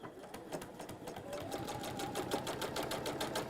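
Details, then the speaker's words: Sewing machine stitching with a knocking clunk on each stitch: the bobbin sits slightly loose because it is a smaller non-genuine universal bobbin rather than a genuine Dukey one; fix is using genuine Dukey bobbins. "you'll hear that bobbin's clunky. And that's just because it's just a little bit loose because it's not a genuine Dukey one."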